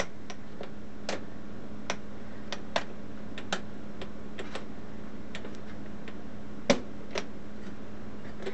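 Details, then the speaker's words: Monroe High Speed Adding Calculator, possibly Model KA from the 1920s–1930s with a non-standard motor: steady motor hum with irregular sharp clicks and one heavy clack as it cycles; it overshoots its target (gave 146), adding extraneous digits, cause unknown. "seems to overshoot its um target so we got 146. it's working um but why it's it's giving these extraneous digits there i'm not sure"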